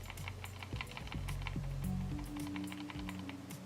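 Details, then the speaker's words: Rattle of a loose sensor inside a Roccat Kone Military gaming mouse as it is shaken. Quick, uneven plastic clicking, the same sensor-rattle issue known on the Logitech G303. "pretty bad in in fact even the rocket Compuware laser has the issue but it's not as bad in this one just a very slight rattle"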